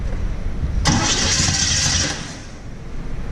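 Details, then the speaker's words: 1950 Chevy cranking without starting: steady starter churn and hiss burst, never catches; fuel not yet primed up to the filter, fuel lines cracked and spraying when pumped; points possibly open. "right it's getting their prime up"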